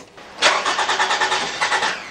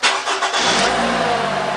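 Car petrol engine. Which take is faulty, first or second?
first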